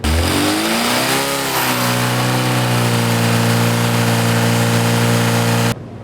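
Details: Rebuilt Classic Mini A-Series 1380 engine, first run to 3,500 rpm at full load after running-in at safe timing: sweeps up then holds a steady, smooth roar with no rattle or pinking, healthy combustion.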